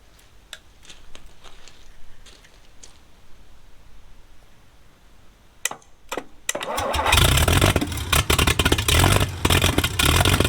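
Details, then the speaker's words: Abandoned 1950s Rolls-Royce engine stored years on a pallet, first start after plug cleaning: cranks with clicks, then rough uneven run surging and stumbling, ignition cut on and off; owner suspects the governor. "so in this clip you can hear me cutting the ignition off and on see if I can make the governor which I expect to be the issue to work"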